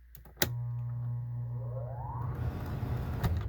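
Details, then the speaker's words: Coleman Mach RV rooftop AC blower motor, 18+ years old, capacitor tested good: click then steady low straining hum, pitch climbing slowly over a second or two; slow-starting blower motor, likely bad bearing, replaced with Fasco D1092. "so did you hear that delay that's not good so um i've already tested the capacitor i know the capacitor is good but i'm gonna go through that test also so we've usually if you got a slow starting blower motor you know it's either a bad capacitor or a bad bearing or so that's been my experience anyway"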